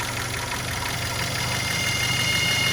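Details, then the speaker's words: 2008 Chevy HHR 2.4 Ecotec at idle: a thin high whistle rises as the dipstick is pushed back in. It is probably crankcase pressure related and the source is not yet found; crankcase vacuum leak whistle. "And it is not obvious on where this noise is coming from. So it's definitely crankcase pressure related probably, but we're gonna keep exploring this."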